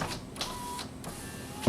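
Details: 2006 Honda Civic EX, power window check with key on: a working window motor gives a smooth, even whirr and stops cleanly, with no grinding or skipping, while the right front passenger window does not work.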